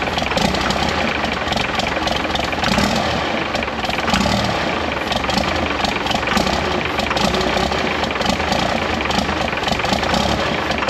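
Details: 1968 Dodge W200 with swapped P-pump 24-valve Cummins diesel, first start after valve lash adjustment: rough uneven clatter, only runs on ether because poorly sealed fuel fittings let air into the fuel system.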